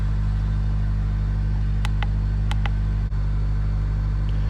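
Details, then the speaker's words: 2005 Toyota Corolla XRS 2ZZ engine with a P0301 cylinder 1 misfire code, before clearing codes: a steady, even idle hum with light clicks and no audible stumble; it sounds the same as when driving with the misfire, a normal idle. "sounded the same it sounds the same from when i was driving it before with the misfire and it sounds the same right now sounds like a 2z to me"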